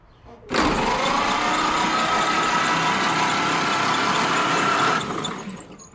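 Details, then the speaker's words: 1931 Ford Model AA truck, barn find, new 6-volt battery, spark plugs removed, in neutral with key off: starter spins up quickly to a steady even whir with slowly rising pitch, no grinding or clicking; normal cranking without compression load. "now with the new battery installed to see if it turns over so I'm going to push the starter switch here and see what happens it is in neutral and the key is off"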